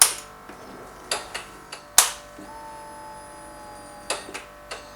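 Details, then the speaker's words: Fuel tank with a new Guglatech in-tank filter plus an inline filter, key cycled about five times: a few clicks, then a thin steady whine for about two seconds as the pump builds pressure; normal priming. "apparently you turn the key on and off let it the pump do its thing like five times"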